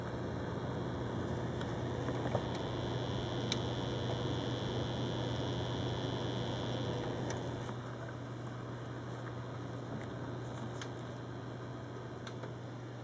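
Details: New Corsair H50 liquid cooler on a Phenom II X4 955: steady low pump hum, constant and unchanging over soft fan hiss, microphone near the cooling block; owner suspects a defective unit and is considering an RMA.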